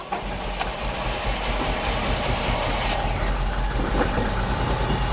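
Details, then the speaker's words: Ford EcoSport EcoBoost 3-cylinder petrol at start, check engine light on, whole car vibrating: uneven stumbling idle with lumpy beat at the exhaust; one cylinder dead from broken piston, misfire. "Puri गाड़ी vibrate कर रही है पुरी तरीके से silencer देख सकते हैं कैसे कर रहा है थोड़ा सा फर्क पद रहा है थोड़ा सा फर्क पद रहा है यानी की एक सिलेंडर बढ़िया कम कर रहा है दो सिलेंडर कम कम कर रहा है"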